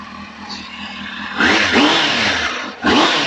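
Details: Warm 600 four-cylinder motorcycle, run ten minutes earlier, blipped twice in neutral: the revs rise crisply and fall back cleanly with no rattle or misfire. The engine is revving normally.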